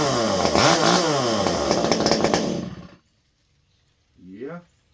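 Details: Stihl MS201T chainsaw, fully stock, about a decade old, worn, after a deep clean: a clean two-stroke howl rises and falls smoothly with the throttle with no stumbling or misfire, then it shuts off; normal running.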